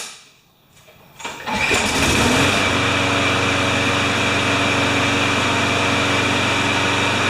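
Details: Briggs & Stratton 6.5 hp flathead mower with primer ball and no automatic choke, owner complaint "starts then stalls," cold start the next day after three primes: quiet, then it catches at about 1.5 s and settles into a steady, even, healthy idle.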